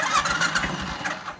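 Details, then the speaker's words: Royal Enfield Classic 500 with the starter relay fixed, engine dead cold, in neutral: quick pulsing crank that catches within a second and settles to a steady run; ticking is the decompressor at low revs; normal start. "it starts without fail well the bike will start so there you go ladies and gentlemen that ticking sound is just the uh that's just the decompressor because the revs are too low because the engine's dead cold"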